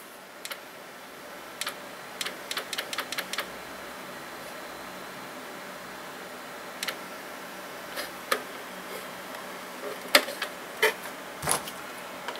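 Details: Optical CD drive from a batch of free used computer parts: irregular light ticks and clicks over a faint steady hum as the drive seeks and fails to read the disc. Judged a fail.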